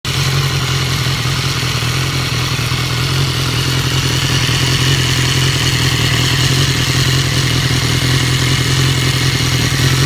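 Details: 2015 BMW S1000R with 4,600 miles, idling: fast, light ticking over a low hum, mainly from the left side of the engine; it began at 3,000-4,000 rpm and now occurs at idle, and was fixed by replacing the butterfly valve and cam chain tensioner.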